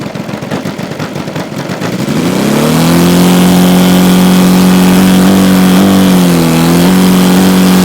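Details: Saito FG-60R3 3-cylinder radial in a Legend Hobby T-28 Trojan RC plane, first run with cowl on, taxi test: uneven pops, then full-throttle drone that sags and never clears out; running rich with cowl on.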